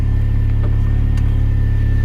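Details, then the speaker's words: R53 Mini Cooper S after new power steering lines, wheels back on, dry steering easily with two fingers: steady even engine hum, faint constant high pump whine, no groan or squeal while steering; power steering healthy. "I can dry steer it nice and easy, so I think we've got power steering."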